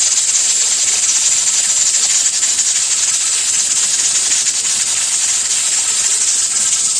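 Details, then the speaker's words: Pressure canner on stovetop after venting: steady loud steam hiss with the weight rattling nonstop instead of once or twice a minute; heat too high, turned down to stop constant rattling. "You don't want the weight constantly rattling, and you'll get to hear that rattle when it starts. You don't want it constantly rattling. It should only rattle once or twice a minute."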